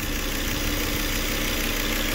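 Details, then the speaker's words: 2005 Volvo XC90 2.5 with low-fuel-pressure no-start (regulator suspected), now running at idle: constant hiss like air being sucked near a hose that wasn't connected well; probable intake vacuum leak, exact spot unconfirmed. "se escuche que está chupando aire por aquí algo se le escucha hay que conectarla bien con las dos manos"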